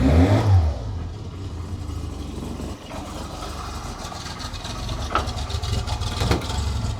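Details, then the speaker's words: 1985 Lancia A112 Abarth, 1050cc Fiat four-cylinder, just started cold. Low idle with an uneven, slightly lumpy beat and a hint of clatter. Rough cold idle, attributed to being cold. "so as you can hear it's running it's running a little bit rough but that's because it's cold"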